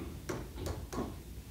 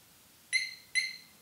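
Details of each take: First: 2021 Harley-Davidson Road Glide Special with newly installed HD Smart Siren II, tested with the key fob kept away: a few clicks, then a loud warbling siren repeating about three cycles a second; alarm working properly. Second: 2021 Harley-Davidson Road Glide Special with newly installed HD Smart Siren II (68328-06A): two quick high chirps about half a second apart after ignition is switched off, confirming the alarm is armed.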